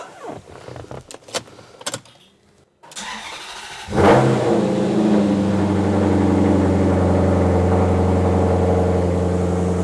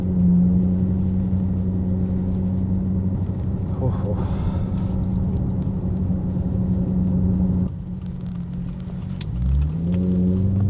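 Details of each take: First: Vandalized Maserati GranTurismo, key start in garage after repairs: brief crank, engine catches with a quick flare and settles into smooth even idle; healthy start, battery had not drained. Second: Vandalised Maserati GranTurismo V8 at steady idle; deep, loud, uneven exhaust drone, coarser than a healthy burble: exhaust system badly damaged.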